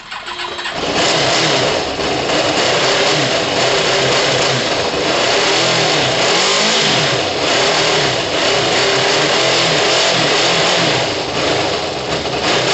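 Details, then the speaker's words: Kawasaki ZL600 after months idle, with new coils, tuned carbs, valves done, cold, needing coolant: catches quickly and settles into a strong, even run, revs rising and falling smoothly with no knocks or misses. "hmm it's just woken up after months yeah it sounds good no it sounds amazing"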